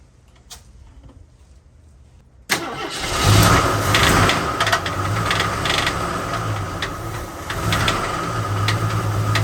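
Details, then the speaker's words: AMC Concord sedan, parked since 1997 over carburetor issues, first start after 26 years with fresh oil added: lumpy, loud idle with uneven pulsing beat and harsh clatter; owner suspects misfire, checking ignition wiring, possible knock, cause unconfirmed. "I don't know, but it sounds freaking awful. I'm gonna just get close up to it and see what it could be. It sounds like a misfire."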